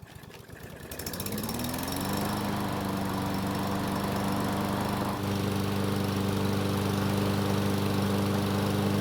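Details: Yard Machines mower, given away as a non-starter and surging; after cleaning and maintenance it catches, rises and settles into a steady, even drone with no surging, running normally on a 5-minute test run.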